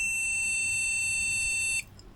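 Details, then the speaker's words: Flea-market desktop PC with a faulty case fan, at power-on: a single steady high beep lasting nearly two seconds, then silence; a RAM problem is suspected but unconfirmed. "that sounds a ram problem I guess"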